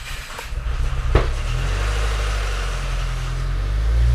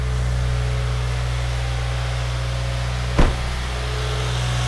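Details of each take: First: 2016 Subaru WRX first start after engine rebuild for rod knock, on jump pack; cranks and catches with uneven lumpy firing while oil pressure builds, then settles into steadier fuller idle, no rod knock. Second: Subaru WRX after engine rebuild, first start on a jump pack: steady even idle with deep low hum, one brief click, no more rod knock once oil pressure built up; normal idle.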